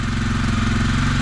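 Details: 2021 Kawasaki KLX 300R, fuel-injected single, after the no-start was fixed (Dynojet removed): steady, even putter at idle with no misses or knocks, healthy.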